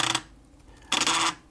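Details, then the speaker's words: Panasonic JU-475 5.25-inch floppy drive, about 1990, head seek commanded via FluxEngine board: two short harsh buzzing rasps, rougher than a clean seek; abnormal noise, cleaning and relubrication suspected as the fix, cause unconfirmed. "a good noise so i'm going to take this apart and try and give it a clean and see if that makes a difference"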